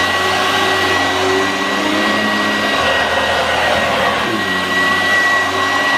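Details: 1986 Vorwerk VK 117-1H upright vacuum cleaner on white low-pile carpet: steady high motor whine with even airflow rush, pitch dipping slightly as the head moves over the carpet; normal running.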